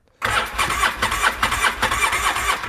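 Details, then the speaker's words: Used two-cylinder ATV with one cylinder near 120 psi and the other low on compression, cranked on the starter: quick, slightly lopsided pulses that never fire; would run on one cylinder at best and needs a top-end job. "Yeah, she ain't gonna run like that. Then it'd be running on one cylinder if I did manage to get it fired. So this thing gonna have to get torn down for a top end job."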